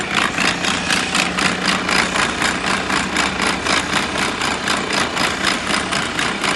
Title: Abnormal sound from gearbox MP4 Mercedes Benz AROCS PART 1